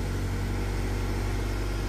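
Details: Nissan Grand Livina running after emergency start with faulty remote key fob, likely dead remote battery: deep, even idle rumble with steady beat and nothing irregular; engine starts and runs normally.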